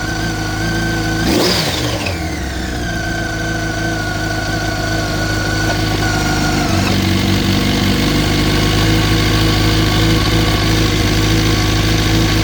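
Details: 2004 Yamaha R1: a rev rises and falls back to idle with a fast metallic chatter over the engine throughout, a top-end rattle. Owner suspects the cam chain tensioner; not confirmed.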